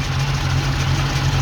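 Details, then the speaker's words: Ex-NZ Army V8 Land Rover after replacing the military ignition with Mallory coil, optical distributor unit, cap, rotor and ballast resistor: a deep, steady V8 burble at idle with an even beat and no misses or knocks; healthy running. "all right she's all back together again and running"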